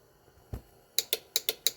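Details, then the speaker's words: Widebody WRX wagon racecar, newly wired Haltech ECU and fuse panel, horn/light relays triggered by switch presses: crisp, sharp relay clicks in quick pairs with no buzz or chatter, relays working normally. "You should have heard that solenoid click."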